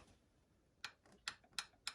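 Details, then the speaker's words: Vintage Moto Guzzi barn-find motorcycle, unstarted for 40 years, cylinder head rebuilt and refitted: rocker tapped on the compression stroke gives four crisp light metallic clicks about three a second, showing free play; valve clearance correct. "this is this is where you did the tap it out on the compression stroke so you can hear the the Gap"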